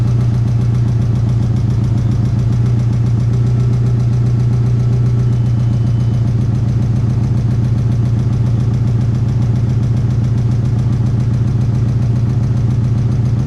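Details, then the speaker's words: VW MK4 idling after fuel filter replacement, having sat nine months and had no-start issues: low, uneven chugging about four pulses a second, lawnmower-like; owner attributes it to sitting, needs oil and transmission fluid. "all right so the car sounds like a lawnmower because it's been sitting for like nine months so it needs some new oil and these some your transmission fluid as well"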